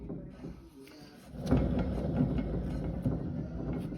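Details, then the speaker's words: Western Tornado / Fisher Polycaster spreader with a CP fault and stiff spinner shaft: slow hand turning gives a rough, gritty growl; worn single-seal spinner shaft bearing letting grease out and grime in. "she turns but you can hear how growly that bearing is and I think Douglas Dynamics uses single seal bearings it just doesn't hold the grease in well"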